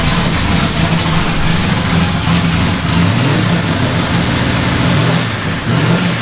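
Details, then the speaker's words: Nissan S15 with new exhaust just installed, run and revved to hear the exhaust: loud, deep note holding steady then rising and falling cleanly with throttle, no rattles, ticks or misfires; running healthy. "The exhaust is in the car, and I just want to see what it sounds like."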